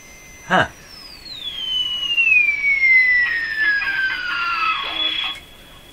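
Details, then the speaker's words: Sparton Model 5049 radio, remaining wax capacitors replaced, tuned to a station: piercing whistle slides steadily down in pitch over the station audio; oscillation persists and dominates the station, cause unknown. "I'd say there's just a beautiful oscillation in there I've cleaned it up really nice now so the oscillation is clear and clean and can be heard beautifully"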